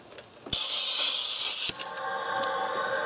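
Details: 2006 Suzuki Forenza after a timing belt break, leak-down test at about 100 psi input holding only about 8 psi: a sharp, loud hiss, then a steady softer hiss through the intake. The exhaust valves seal, so air leaks past an intake valve, suspected bent.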